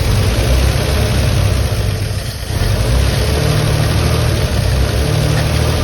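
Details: 1957 Chevy truck stored for decades, running after the points were fixed, throttle blipped before driving it in gear: steady low rumble with a brief dip and recovery; runs evenly, sounds healthy.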